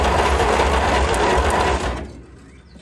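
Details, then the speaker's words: 1938 Dodge truck that sat over 50 years, first start attempt with one old spark plug. The starter cranks at a slow steady churn for about two seconds without catching, because the ignition coil was grounding itself out, so no spark reaches the plugs. "Coil's grounding itself out there. That's my fault."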